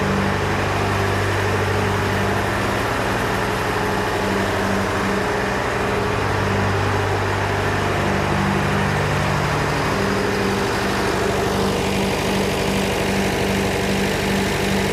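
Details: John Deere 401C diesel at low idle in neutral, uneven lumpy beat with a missing pulse about twice a second; cylinders one to three hot to the touch, number four stone cold, dead cylinder from a faulty injector. Block is cracked, liner O-ring leaks suspected.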